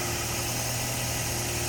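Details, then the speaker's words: 2006 Scion xB after new spark plugs, cleaned MAF, air filter, intake piping and throttle body: smooth, even idle with steady low note and no misses or knocks, though it was slow to fire up. "it sounds good sounds solid"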